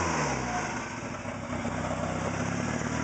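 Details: Talon engine rebuilt after spinning a rod bearing, with replacement bearings fitted: revs up cleanly and settles back with a smooth, even note, no rod knock yet.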